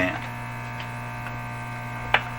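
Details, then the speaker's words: 1935 Rogers 7R622 tube radio after replacing the last capacitors, on broadcast band before switching to shortwave; steady low hum with higher buzz over faint station audio; strong hum in audio output, cause not confirmed. "i don't like that hum at all but i'll now go to short weight"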